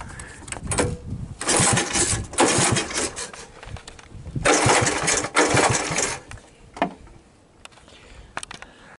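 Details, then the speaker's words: 1980 Honda ATC 110 after replacing a failed open-circuit, rust-seized stator, started with starting fluid and choke on: cranks, catches in rough bursts, then fires and revs cleanly; starts and runs normally. "So, put in the spark plug, give it a hoot of starting fluid and hopefully we'll hear it roar."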